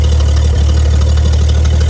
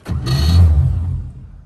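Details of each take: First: Bagged 1955 Chevy V8 being resurrected, now running off the tank with fuel pulled through the filter after carb priming, known overheating issue: deep, steady idle with even low rumble, no misses, knocks or ticks; normal idle. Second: Bagged 1955 Chevy, first start after a repair attempt with the battery reconnected. The starter grinds for about a second and the engine never catches: crank, no start. The owner next suspects the fuel line.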